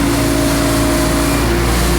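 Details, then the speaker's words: Diesel mower that used to die when the PTO was engaged, after installing a time delay relay. With blades engaged it holds a steady, even drone with no sag or stumble under load; fixed. "we put our gauge blade up that's a good sign it used to die before here we go oh yeah there it is"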